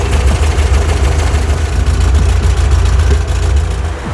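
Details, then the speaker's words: 1958 Porsche 356A Convertible D, air-cooled, first start after sitting about 20+ years: low, loud, lumpy idle with an irregular chuffing beat. It runs, but the carburetors are due for rebuild kits. "you can see the car is running but it's leaked greater but it actually fought pretty good"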